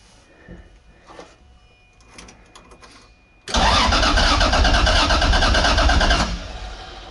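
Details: 2JZ-swapped Nissan 240SX in neutral, fuel not yet hooked up: starter spins the engine in a steady, even rhythm for about three seconds but it never fires; cranks without starting, no fuel supply.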